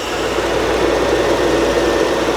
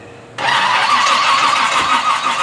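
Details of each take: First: Old Toyota Land Cruiser engine: smooth, even drone at steady speed with no stumbling or popping; running properly. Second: Toyota Land Cruiser with distributor, non-start troubleshooting: engine catches and revs raggedly, then settles to an unsteady idle; ignition misfire from crossed plug wires, spark reaching wrong cylinders; fix planned by changing wires rather than reclocking distributor.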